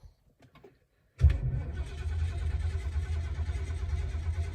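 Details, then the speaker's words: 1972 Lincoln Mark IV, 460 V8, long-sitting: after silence it suddenly catches and settles into a steady low rumbling run once extra fuel is put in the carburetor; spark present, no-start was fuel starvation. "come on yes good she fired I have spark it's more fuel down there"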